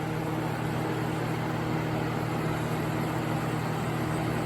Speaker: okay it's running and yes I know shouldn't really run this thing with the Shroud